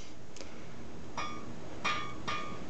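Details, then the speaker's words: Scroll saw blade plucked with only a little tension at the tensioning knob; short, dull pings that die away fast with a bit of vibration. Blade is under-tensioned and needs more tension. "and you can hear that sounds very dull and has a bit of a vibration to it so I'm just going to tighten up on my tensioning knob a little"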